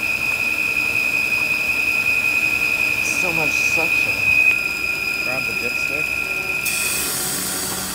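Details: 2008 Volvo XC70, only when very warm after extended driving: steady, piercing high whistle/screech over a quiet engine, first thought a belt, actually air leaking past a failed PCV breather valve diaphragm.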